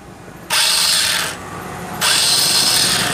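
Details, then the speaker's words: Honda Beat scooter electric starter: two bursts of high free whirring as the starter motor spins but the pinion gear slips and won't engage the engine; the motor itself still works but sounds rough. "jadi masalahnya ini Mas dulu ya ini masih dibawa atau masih bisa muter oleh dinamonya cuman ini lo yang jadi masalah"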